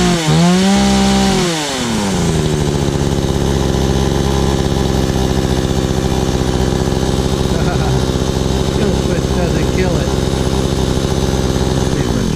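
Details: Stark Chinese chainsaw after ignition coil replacement: quick rev drops to a steady, even two-stroke idle that holds without dying or misfiring; runs normally.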